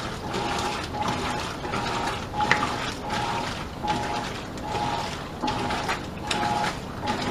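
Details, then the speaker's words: Modern Roper top-load washer agitating: rhythmic ratcheting click each stroke over swishing water, with the tub loose and moving. Agitator slipping and not driving the load; owner suspects worn agitator dogs, if it even has them. "This thing needs new dogs. If it even has dogs. Probably doesn't."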